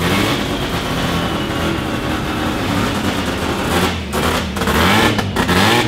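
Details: Mazda FD RX-7 13B turbo rotary, freshly built studded semi-peripheral-port (Semi-PP), first start, untuned, open exhaust, coolant around 40 degrees: choppy uneven brap-brap idle with sharp blips; lumpy idle is just port overlap, like a bridgeport.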